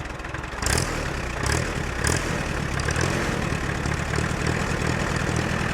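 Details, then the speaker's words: Allis-Chalmers C tractor with Woods L59 belly mower, first start of the year: steady, even low idle rumble with no knocks, misses or surging; engine idles smoothly and runs well. "All right, I think I'm gonna fire it up. Just let her sit and purr."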